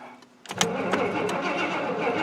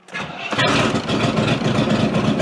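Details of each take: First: Square-body GM 3/4-ton 4WD Suburban with throttle body injection, starter cranking with a few uneven chuffs but never firing; crank no start, fires only with starting spray. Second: Square-body 3/4-ton 4WD Suburban V8 after fitting a remanufactured ECM: it cranks briefly, catches and settles into a steady, even idle with no misses or knocks.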